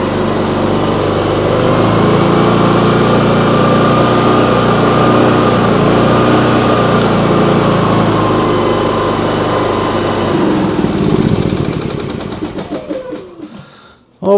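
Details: Briggs & Stratton P3000 PowerSmart generator, after fuel pump replacement and tune-up, fires up on choke and holds a smooth, even buzz for about ten seconds, then winds down; no misfire or stumble.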